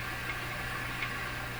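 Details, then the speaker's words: Clairtone console stereo FM section: steady even hiss under faint low hum; weak FM signal too low to be limited, with discriminator transformer possibly off its sweet spot. "Now how come you can hear noise? I thought this was an FM radio. I'm not supposed to hear noise. Because the signal's too low to be limited."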